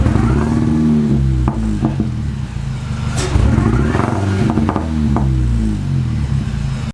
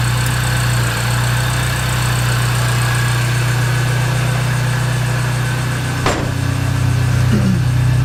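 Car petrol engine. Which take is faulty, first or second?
first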